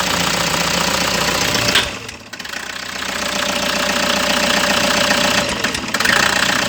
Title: part 1 diagnos..toyota hi ace engine misfire problem abangan ang part 2 video